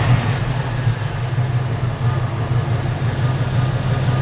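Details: V8-swapped Chevrolet S10 started right after installing a Dorman 34152 A/C bypass pulley in place of the A/C compressor: steady even low idle rumble, no knocks or squeals; engine sounds healthy.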